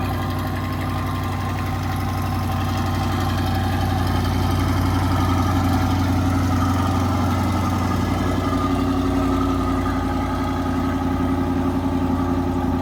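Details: Chevrolet Corvette C8 idling after the K&N air filters were cleaned, re-oiled and refitted. Deep, steady V8 idle with an even low rumble and no knocks or misses over thirteen seconds; running normally.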